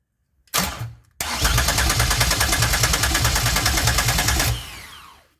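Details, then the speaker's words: 2004 Grand Am swapped to a 3800 supercharged V6 and 5-speed, first start attempt after wiring the engine harness: rapid, even cranking about three beats a second with a few ragged catches; it tries to fire but won't run. "Ooh, I heard it. Wow. Damn, sorry, I hit the button. I heard it. It tried to start."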